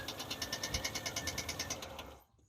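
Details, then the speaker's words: 1988 Chevrolet S-10 Durango V6, long unused: it catches and runs ragged with a fast, even tapping knock over a harsh rattle, then dies within two seconds. Rough running with knocking. "That sounded pretty bad."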